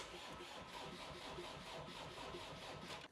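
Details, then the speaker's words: Land Rover Defender diesel after DIY engine swap, earlier just clicking, now on a 12.6 V battery borrowed from a Discovery 3: slow, laboring, even chugging crank for about three seconds, no start; owner suspects poor non-genuine connector and unprimed diesel. "So it does sound like it's got a bit of a weak start, like power-wise."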